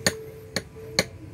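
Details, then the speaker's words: Removed rear gas shock absorber from a Mazda, compressed by hand: three sharp hollow knocks about half a second apart; the shock has leaked and is hitting its internal end stop, while the good one stays silent. "Ya kita lihat dibalikin Iya teken Brian kita lepas ini bahkan sudah bunyi temen-temen Oh udah ada Suarakan berada suara itu sudah terjadi kebocoran"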